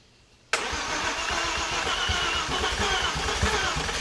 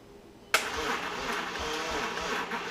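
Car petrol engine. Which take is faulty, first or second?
second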